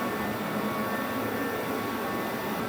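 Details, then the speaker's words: Torpedo garage heater running: a steady rush of air with a constant, annoying high-pitched squeal or whine; loud but not horrific, putting out lots of heat as a jet of air; normal running. "these things are so noisy and this one in particular is makes such a high pitch uh like squeal I guess that it's it's almost not worth running because it's just so annoying"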